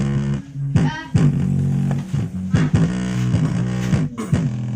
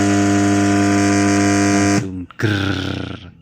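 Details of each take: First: GMC portable speaker after replacing a shorted capacitor that caused a hum: music plays clean and full with solid bass and no hum or buzz underneath; repair successful. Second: GMC portable speaker emits a loud, steady low buzzing drone with stacked tones as soon as it is switched on, before any music is played, then cuts off abruptly.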